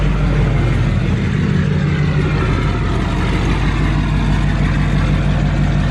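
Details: Duramax LML diesel, held at a steady 2,000 rpm outside for a 5-minute cycle: deep, even drone free of knocks or rattles, and no massive leaks. Normal running at fast idle.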